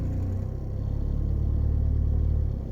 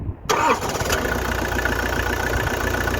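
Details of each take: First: 1993 Vauxhall Cavalier MK3 1.7 GM indirect-injection turbo diesel: quite rough at idle, but with revs raised it gives a deep, even drone that holds steady, no misses or knocks; smooth running at raised revs. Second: 1993 Vauxhall Cavalier Mk3 1.7 indirect-injection turbo diesel: catches and settles into an uneven, lumpy idle with a wavering beat, smoothing out once revs rise; cause not found; rough idle.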